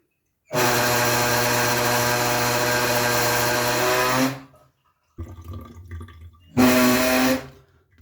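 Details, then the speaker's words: Gas tankless water heater gives a loud, steady buzzing hum with a rattling edge when the hot tap is opened slightly; cause is a worn, dripping faucet cartridge, to be replaced. "если у вас кран немного если подкапывает кран то неисправность может заключаться именно вашим кране вам необходимо поменять кран-буксу"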